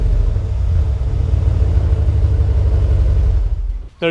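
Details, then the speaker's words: 2019 Ram 1500 Hemi V8 after muffler delete with Solo Performance kit, started up: deep heavy rumble with a slight rasp on top, running normally. "let's fire it up in here oh yeah she sounds very nice"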